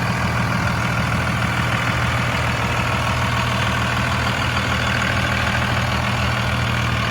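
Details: Steady, even low diesel rumble with smooth clatter, no misses or knocks from a 2002 Dodge Ram 2500 5.9 Cummins 4x4, 6-speed manual, 102k miles; healthy normal idle.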